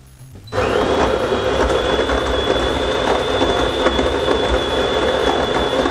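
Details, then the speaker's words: De'Longhi Dynamica FEB 3515.B making two drinks at once via the x2 button; steady whirring grind with constant high whine, even and unbroken for several seconds; healthy grinder and brew cycle. "alors maintenant je vais préparer deux boissons à la fois et pour se faire je maintien simplement le bouton X 2 en façade voilà je place mes tasses j'ajuste ma buse"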